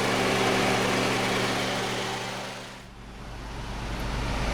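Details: 2010 Honda Civic EX 1.8L sedan idling hot with A/C on high and blower rushing: steady engine hum holding the same pitch with no hunting or surging; idle stays stable with A/C loaded, despite complaints of poor cooling and idle fluctuation.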